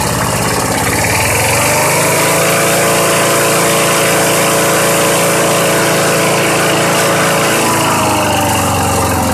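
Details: Old Southland 19-inch push mower, long stored under a deck, on 90-octane pure gas: runs on its own with a steady putter, speed easing up slightly then settling evenly; healthy, no misses or knocks.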